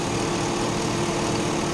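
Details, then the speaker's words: Older 4x4 truck with a 5.3-litre V8 whose valve cover gaskets are leaking slightly, fired up without a jump. Steady, even idle with a smooth low rumble and no knocks or misses; sounds healthy. "this thing runs better than most of my cars I may have underestimated the old girl"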